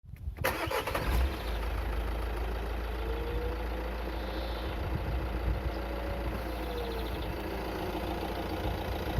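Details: Renault Scénic III 1.6 dCi 130 (2014) diesel starts and settles to idle with a faint whistle that swells and fades; the cause is unclear, and the owner wonders about a hose, the turbo or a pulley.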